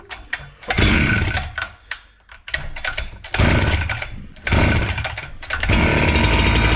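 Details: Husqvarna 268 two-stroke chainsaw that stalled once warm, running after the carburetor screws were set to about two to two-and-a-half turns open. It fires up and revs cleanly in repeated throttle blips, picking up quickly and dropping back without stumbling; running properly.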